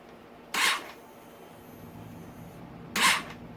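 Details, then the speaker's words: 2022 Honda CRF450R electric start pressed: two short starter whirrs, each about a quarter second then stopping dead, no firing; starter spins briefly then disengages. Owner suspects bad starter clutch, not confirmed. "Won't start. What I hear when I click the buttons, I hear the starter try to start. It starts to spin and it just pulls out."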